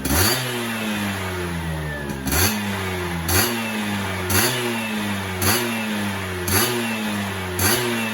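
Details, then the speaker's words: Yamaha F1ZR 110 two-stroke after fitting a ported cylinder block; crisp quick blips about once a second, rising and dropping cleanly with no misfire; healthy, free-revving, sounds fuller than stock. "kalau udah di kesana sih berasa juga kebalik balik itu lebih cepet sama suaranya serasa lebih apa ya lebih keluarlah walaupun lapo standar"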